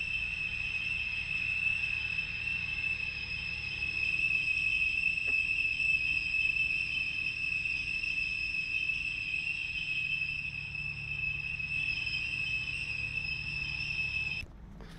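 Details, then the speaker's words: Porsche Boxster 987 with oil pressure warning light: piercing steady high-pitched screech from rear of car over faint engine hum, recorded from customer's car; source unclear. "so hear that that's the actual noise the car was making pretty loud"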